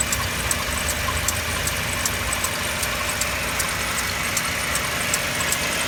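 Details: Mercedes W204 with M271 engine idling cold; sharp light ticks about two or three a second over a busy cold idle, cause not pinned down; cold engine knock.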